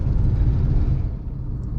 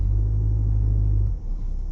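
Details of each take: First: Manual car in city traffic, just shifted from third to fourth gear near 50 km/h at about 1500–2000 rpm: low, steady, unstrained drone at moderate revs under light load; normal cruise. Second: Manual car pulling away from standstill in too high a gear, second then third: deep, heavy drone from a labouring engine that slackens after a second; engine lugging, straining the clutch and loading the engine.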